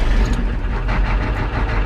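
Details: 1987 Ford F350 6.9 IDI diesel after replacing injector return caps, o-rings and lines: deep, steady clatter at low idle, even and settled with no misses; engine running normally.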